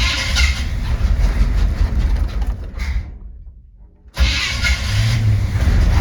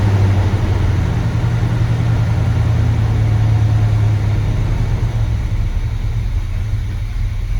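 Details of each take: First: 1970 Chevy C20 V8 after a new fuel pump, started with an empty carb and the choke not hooked up: fires and runs roughly about three seconds, then dies. Stalls after starting; won't idle yet. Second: 1970 C20 truck, not yet warmed up and low on fuel. Low, steady V8 rumble at idle with no stumbling, tapping or knocks, and the timing sounds perfect: a healthy idle.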